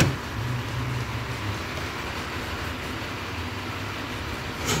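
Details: Mitsubishi Pajero 4 (Pajero Wagon 4) after repair of an engine knock caused by a cracked crankshaft near cylinder 2, replaced with a used low-mileage crankshaft plus new bearings and seals; quiet, even idle with a soft hum and no tapping or knocking, normal idle.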